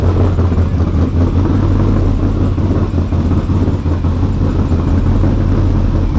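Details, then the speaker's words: Ford F-150 prerunner V8 on base tune set only for the cam, not the larger injectors, startup after coolant leak (steam vent line) and throttle system fixes; lumpy, burbling uneven idle, still running rich. "The truck is still running pretty rich right now, and that is because of the base tune."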